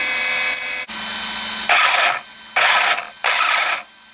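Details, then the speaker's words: Traxxas RC car on the bench after a spur gear install: three short throttle bursts give a sharp, high, gritty whine rising with speed; spur gear mesh against the pinion too tight and needs loosening. "I can already tell that it's not quite where it needs to be."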